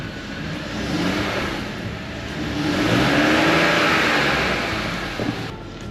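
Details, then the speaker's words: BMW 330i after a clutch job, dual-mass flywheel retained: engine running with the pedal fully depressed to the clutch stop. It runs smoothly with no squeal, chirp or rattle, unlike the nasty noises before, so clutch operation is normal. "can I fully depress I can all the way to the clutch stop no nasty noise"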